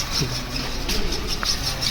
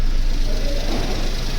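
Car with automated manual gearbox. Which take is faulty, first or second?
first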